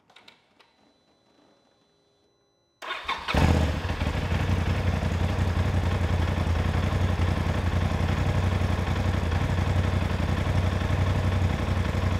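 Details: Polaris RZR with a brake pressure switch trail fix still fitted for a no-start (key on, nothing) fault: quiet, then it cranks, catches and settles into a steady, even idle with no stumbles. Normal idle.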